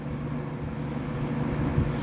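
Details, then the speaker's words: 1960s Arvin model 7414 box fan (110-120 V, 60 cycle AC) on high speed: a steady low hum with a buzzy rattle riding on it; a loose grille piece is vibrating. "oh there we go that's the one that's causing all the vibration now that is high speed that is full speed too"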